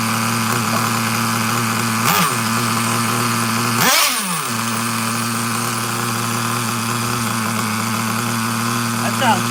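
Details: Traxxas Nitro Slash with carburetor linkage just fixed, on the bench: small nitro engine buzzing at a steady, even idle with no hunting or stumbling and a couple of brief blips; normal, healthy idle.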